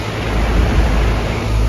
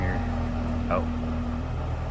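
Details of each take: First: Central AC unit after the bad compressor capacitor was replaced: a deep, even motor hum under the steady rush of the fan, no buzzing, clicking or stalling; the compressor is running normally and cooling again. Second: Central AC, stopped cooling overnight, blowing room-temperature air: steady fan hum with short buzz as compressor tries to kick on then gives up; compressor fails to start, bad capacitor (later confirmed and replaced).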